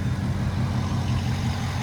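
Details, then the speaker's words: 2006 Ford F-250 6.0 diesel, after a bad IPR valve and a full high-pressure oil system replacement with new standpipes and dummy plugs: steady, even low idle rumble with no stumbles or misses; truck idles smooth and healthy. "The whole high pressure oil system, everything's been replaced. It's all new, so I shouldn't have any more problems with it. I'm just glad that it's running again."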